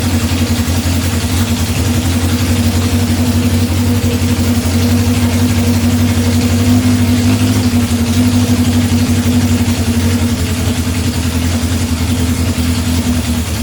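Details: 1978 Honda CB750 K8 four-cylinder, just after its first start during rebuild, with temporary fuel supply and reinstalled carburetor: steady, even idle with a smooth low burble and no misses or stumbles; all four cylinders firing cleanly.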